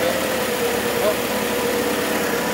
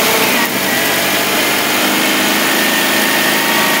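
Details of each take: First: 1978 Mitsubishi Colt Sapporo RWD coupe, started after sitting since 1993, running off choke without fuel or air filter: steady, even idle with no stumble, hunting or shake; normal healthy idle. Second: 1978 Mitsubishi Colt Sapporo, revived after 30 years, running without fuel or air filters off a can via the electric fuel pump: fairly steady running, then the note falters as the carbs run dry of fuel. Fuel starvation.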